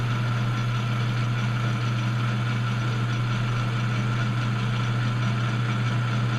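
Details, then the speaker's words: Cutting pass truing a Harbor Freight 4x36 belt sander roller to clean up the remaining low spots: steady, even hum with a constant low drone and no chatter or catching. A smooth, uniform cut. "And here we go. And it's starting to sound pretty good across here."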